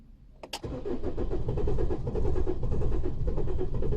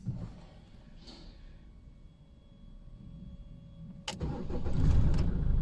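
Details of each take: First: 2015 Holden Colorado RG 2.8 L Duramax turbo diesel: starter churns steadily, roughly two beats a second, no firing; crank no start, code P0336 crankshaft position sensor performance, RPM signal dropping to zero while cranking. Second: 2015 Holden Colorado RG, 2.8L Duramax LWN turbo diesel, first start after a new part fixed its crank-no-start fault, no fault codes stored. A short crank, then it catches at once and settles into an even, steady idle. Normal start and idle.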